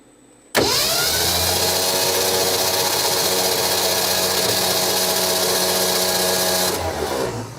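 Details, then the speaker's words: 1967 Ford F-100 with 240 engine, sitting 30+ years, spark plugs out, checking oil pressure: smooth even starter whirr for about six seconds, no firing; normal cranking, oil pressure building to about 40. "okay there we go now we got old pressure I guess it probably had to crank a little bit before it started building any"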